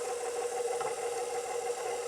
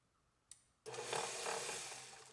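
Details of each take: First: KitchenAid Professional 550 HD stand mixer, stalled mid pizza dough: steady motor hum with faint rattling and grinding, catching and releasing as the attachment stops turning; suspected stripped worm follower drive gear, a known failure point. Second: KitchenAid Professional 550 HD stand mixer after replacing stripped worm follower gear: three short runs of even motor whir, gears meshing smoothly with no grinding or knocking; repaired gearbox sounds healthy.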